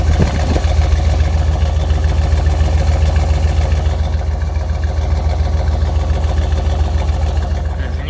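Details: 1999 Chevy Suburban 350 5.7 Vortec V8, about 242,000–246,000 miles, earlier run without oil spinning rod bearings: even low rumble with steady pulses, no knock, faint radio; idles cleanly.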